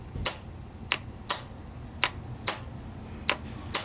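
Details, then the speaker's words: Abandoned 1990 Yamaha XV1100 Virago: pressing the starter button gives repeated sharp solenoid clicks but no cranking, and the oil and fuel warning lights come on. The owner suspects the engine is seized. Starter solenoid click, no crank. "alright so I'm still getting the everything works but I just get the push and click no crank and you can definitely hear the solenoid doing its job"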